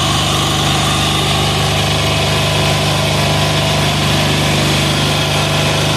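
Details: 186FA single-cylinder diesel running on Road Tech synthetic blend 10W-30 motor oil as fuel at about half throttle. A steady, rapid clatter with an even, unbroken beat throughout; it runs smoothly.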